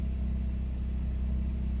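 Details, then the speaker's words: VW MK7 GTI idling after its first fuel injector replacement, with zero misfires on full-throttle second and third gear pulls. Low, smooth, steady rumble with no dips, hunting or fluctuation; normal idle. "there's nothing wrong with the idle. As you can see here, my car's idling, and it's perfect. There's no fluctuation or anything."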